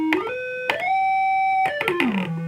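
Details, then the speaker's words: Moog Minitmoog synthesizer producing only a pure whistling tone jumping and gliding in pitch with the envelope, no oscillators heard: the filter is self-oscillating, suspected filter problem. "so, filter is self oscillating. We can hear the envelope generator. So the presets change. We have no oscillators. So I think we got a problem with the filter."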